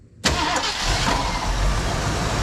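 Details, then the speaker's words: 1974 Ford Bronco first start in over 16 years after carb rebuild, new plugs and wires, fresh oil, sat 30 minutes: brief crank, catches instantly, settles into a steady even idle with no knocks or ticks, oil pressure immediate. "Pretty dang good. Sounds like we immediately picked up oil pressure."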